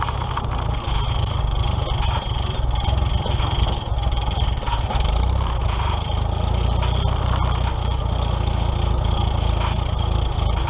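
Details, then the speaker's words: Old tractor being prepped for the 2017 Nowthen Threshing Show, warming up after starting; rough low idle with faint scraping rub each turn as the alternator fan hits the hood, owner will adjust it – fan rubbing hood. "well as you guys can probably hear the alternator fan is hitting the hood just a little bit so i'm gonna have to adjust that"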